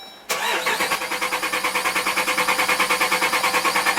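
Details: 2012 Jeep Grand Cherokee Overland, Hemi V8, intermittent no start: steady starter cranking about three compression beats a second, never catching; no fuel pump feed or pressure from a faulty relay circuit, TIPM suspected.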